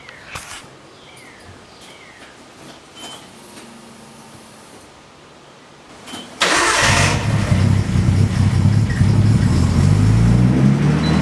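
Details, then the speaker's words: Nissan R32 with secondhand non-OEM hydraulic lifters after high-rpm abuse: the engine cranks and catches, then idles with a light, quick tick about four times a second. A failed lifter, not rod knock. Hydraulic lifter tick. "there it is what you hear if you can hear me is not rodnock it's liftertick one of the lifters on the car failed"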